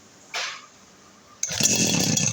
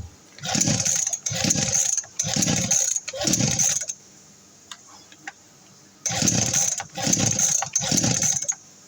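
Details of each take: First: Two-stroke RBC411 brush cutter that would not start after long disuse: after a brief pull it catches and runs with a high, buzzing rasp. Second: RBC411 two-stroke brush cutter that won't start: seven quick pull-start rasps, each dying away without the engine ever catching.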